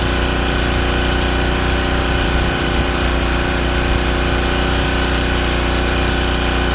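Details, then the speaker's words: King Canada Powerforce 1500W generator after a governor adjustment: a steady, even engine drone with no surging, now responding to the governor while output is set to about 121 volts at proper temperature. Normal governed running. "And it's doing it, and it's responding this time. I'm actually going to adjust it a little bit while it's running."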